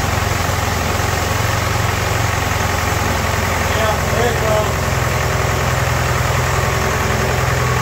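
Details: Ford-built M151A2 military jeep, 141.5 cubic inch engine, stored 20 years; after 10 to 15 seconds a rough idle with heavy deep knock like a diesel, from bottom end not valve train, owner suspects pistons or rods, oil pressure gauge pegged then zero; engine knock.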